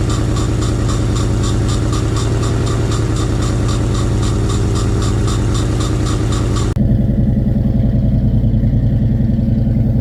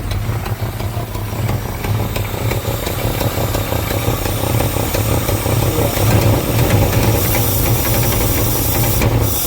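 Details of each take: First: 1986 Fox Body Mustang 302 five-speed, sat 15+ years, running on sprayed fuel with intake off, fuel pump not yet working: steady low even idle, puffing a bit, possible exhaust leak suspected, then cuts off; normal idle. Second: 1986 Fox Body Mustang 302 five-speed, sat 15+ years, intake off: steady idle with constant hiss over low rumble, slightly uneven beat, puffing; exhaust leak suspected, possibly injectors or firing order, not confirmed.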